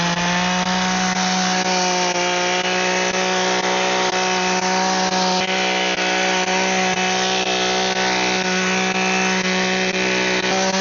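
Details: Echo two-stroke hedge trimmer after repair (broken primer bulb, dirty, cleaned up), cutting bushes: steady high buzz with constant tone and rapid blade chatter through branches; trimmer running and cutting normally.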